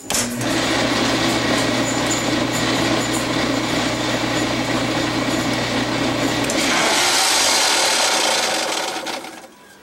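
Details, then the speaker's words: Maytag Jet Clean Quiet Pack dishwasher running with a harsh, raspy rattle over a steady motor hum. A broken-off piece of the discharge pump housing had fallen onto the impeller and was rubbing it; the fix was gluing the housing back together. "I found that the discharge housing assembly had basically broke peace had separated and fallen down and was sitting on the impeller and that was causing the noise that you heard"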